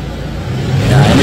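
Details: Isuzu Panther 2500cc diesel after timing gear refit and setting repair, rev test to full throttle: climbs smoothly from low idle, note rising evenly with no knock, miss or rattle; healthy.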